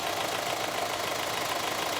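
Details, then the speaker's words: A 2016 SsangYong Tivoli LX diesel with 25,010 km and a 6-speed automatic, heard with the hood open, gives an even, steady idle clatter. There are no misses, knocking or hunting; it sounds healthy. "차량의 엔진 소리부터 들어보시겠습니다 부두를 닫았을 때는 상당히 조용했고요 후드를 열고 더 들어보겠습니다"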